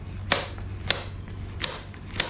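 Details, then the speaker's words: 1974 Yamaha Enduro DT100 under restoration with new throttle cable and no play: four crisp metallic clicks about every half second as the carburetor slide snaps up and down freely; throttle action healthy. "we also installed a new throttle cable so this one's working really well there's like no play in there what's whatever you can hear the slide going up and"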